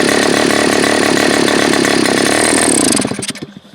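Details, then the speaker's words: Super Tigre G4500 glow engine, first run: fast buzzy single flat out for three seconds, then sags and stumbles into uneven pops; throttle transition issue, owner suspects the Super Tigre mid-range (spray bar) adjustment. "Yeah, so this definitely has a transition issue, and I don't know if it's because of that or what."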